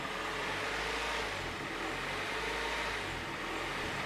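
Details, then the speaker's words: Third-generation Honda Prelude with a surging (hunting) idle returned after repairs: the petrol engine's note slowly swells and sags instead of holding steady; owner plans to bleed air from the cooling system. "oh look my old friend the surging idle is back isn't that"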